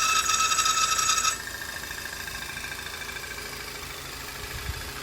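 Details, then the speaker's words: VW CC 2.0 turbo idling: loud, high, rattling electrical buzz in the engine bay that then cuts out; it seems like a pump fault but the cause is the electric pump's fuse. "فيلكس ويجن سي سي 2.0 تيربو صوت في الماكينه والسبب فيوز"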